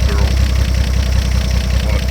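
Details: 1950 Chevrolet Fleetline Deluxe six-cylinder, after years of sitting, run on a winter day: low, even thumping at steady idle with no skips or ticking; runs smoothly and sounds healthy, normal idle.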